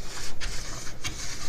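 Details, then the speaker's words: 500mm MGN12H steel linear rail carriage pushed by hand: harsh, gritty scraping on each push, almost metal on metal. The carriage binds and barely moves on this defective rail, unlike the smooth good rails. "you can get it to move but you really have to push on it and I mean really have to push on that and listeners just prime it sounds like it's metal on metal just about really bad"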